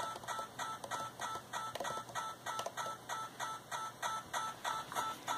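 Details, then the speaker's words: Yaesu FT-891 receiver with RF gain turned up while a logging program polls the radio over CAT: crisp, rhythmic clicks about three per second over hiss, timed with the polling; digital interference on receive, unfixed. "you can hear a very rhythmic clicking sound if I further or more comin up turn up the RF gain"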